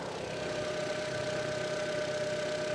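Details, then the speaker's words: Early APX engine without VVT in a neglected Audi TT, just started after sitting on a farm: it ticks over evenly but with a clattery, rough top end and a constant high whine. Noisy running, cause unclear. "to be honest it actually doesn't run that bad i'll try and show you a quick one but it sounds horrific"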